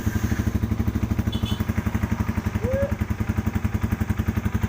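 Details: Yamaha Vixion single-cylinder after an ECT sensor replacement for a radiator fan that ran when the engine was cold; cold idle at 32°C with steady, even firing pulses and the fan no longer running. Engine healthy.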